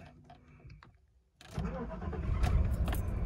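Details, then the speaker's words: 1989 Mercedes W126 560SEL, still warm, after swapping the aftermarket ECU and fuel cut-off relay for Mercedes parts: key clicks, then a quick crank, catch and steady, even low idle. Normal start and idle; a faulty EZL is still suspected. "this is the correct behavior so and now we're actually idling correct"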